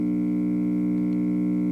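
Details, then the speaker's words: 1956 RCA Victor 4-speed record player: plays and speeds seem okay, but a steady low hum with stacked even tones never changes; amplifier hums, source not yet traced. "okay I'm getting ready to turn it turn the record player on it comes on and and works uh now you'll hear a humming sound"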